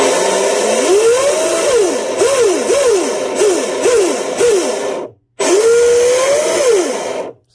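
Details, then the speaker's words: Delta Force 35 monohull RC boat after new 1/4" stuffing tube, greased 3/16 (.187) flex shaft and stinger install: motor whirs up and down smoothly with no rattle or binding, though a bearing may be starting to go bad; normal flex shaft spin-up. "just give the motor a little spin up and see how she acts"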